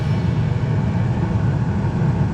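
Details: Bryant 926 series two-stage gas furnace with variable-speed blower on high fire, hot house, 45°F temperature rise within spec: smooth, steady low roar of burner and blower with no pulsing or rumble; normal combustion.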